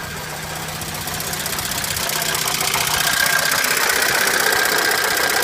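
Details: ABA 2.0 engine, first startup after new oil pump and PCV system replacement: fast, light ticking about four per second over the idle, consistent with valvetrain or lifter tick.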